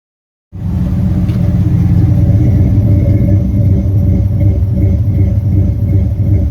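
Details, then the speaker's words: Turbo 5.9 Magnum V8 Dodge Diplomat, new Comp Xtreme Energy cam, Holley Terminator X EFI; coolant above 140°F, idle 400-1000 rpm, throttle under 3%: deep idle with rhythmic lope, two to three surges a second, from the ECU deliberately cycling timing to fake a big cam. "What this thing is essentially doing is going into like an endless loop of adding and subtracting a bunch of timing at idle, and so it gives it a fake lope."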